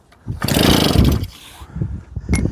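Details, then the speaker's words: JAP 36cc two-stroke engine coupled to a Stuart water pump, throttle pinned open, long rasping pull-start then a few weak pops that die out; cranks but won't start, good spark but dry plug, suspected carburetor fuel delivery problem. "Oh, our plug is a little bit dry, guys. So, I think we have a spark. I think we have fuel delivery issue."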